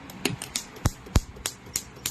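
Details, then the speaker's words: Honda City CNG with engine shake when stopped in gear, injector no. 1 on a test bench at high power after cleaning: crisp evenly spaced ticks about four per second, no skipped beats. Normal injector clicking. "สูงนะครับตัวที่1โอเคนะครับทำงานครบทุกรอบนะครับไม่มีรอบโดด"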